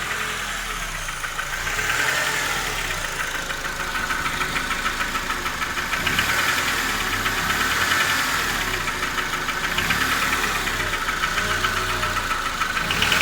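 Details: Honda K20A engine at idle: light quick metallic tapping, fast and steady about three a second; owner unsure whether piston or hydraulic lifter causes it. Engine knock.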